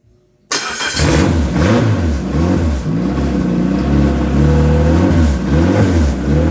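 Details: Ex-race Neon four-cylinder on a floor test stand, warming up: fires and settles into a strong, even run with smooth rev swings, no knocks or ticks; no coolant bubbles, compression 180/180/175/180 psi, great oil pressure, healthy.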